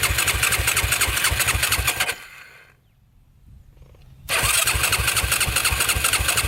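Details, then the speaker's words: Yamaha YFZ450 quad, first ride after purchase, cranks with fast even starter turning about three per second, pauses, cranks again but never fires; owner suspects no spark, possibly a disconnected wire or spark plug wire. Crank no start. "It almost seems like it's not getting spark. Not good at all."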